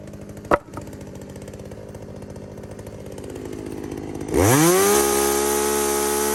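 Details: Poulan 2075C chainsaw (owner thinks 32cc, 16-inch bar) after a carb mod and tune, cold start at about 15°F: an uneven idle snaps cleanly up to a steady, high full-throttle scream and holds there without bogging. The saw is running normally.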